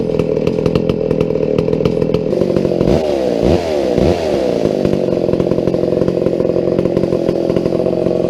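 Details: McCulloch 797 123 cc chainsaw, sat unfired for years, fitted with a foo bar fuel system and filter: runs steady with crisp buzz, then revs up and back cleanly twice; smooth even running and revving.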